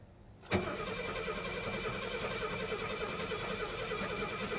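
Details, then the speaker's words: 1972 Mercedes 250 that sat at an auction site for months: steady fast starter cranking with even compression pulses, but it never fires; owner suspects no fuel is reaching the engine, and oil pressure is building. "yeah there's just no gas getting to her we're building oil pressure though see that"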